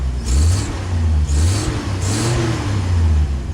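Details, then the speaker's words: Jeep engine after the ignition points were reset to 0.017 from 0.016, which had caused backfiring, popping and poor revving; three smooth throttle blips now rev cleanly and evenly with no popping; a small exhaust leak is noted; normal revving. "oh it sounds good now healthy but I got my fuel gauge working"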